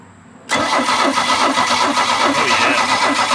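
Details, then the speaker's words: 1986 Larson V175 Seneca 17 ft ski boat engine, first crank on a new battery; starter spins at a steady pace with a faint limping gallop, cause unknown, owner hopes nothing's hurt; uneven cranking. "yeah it's got a little tiny bit of a Gallop it seems hopefully nothing's hurt"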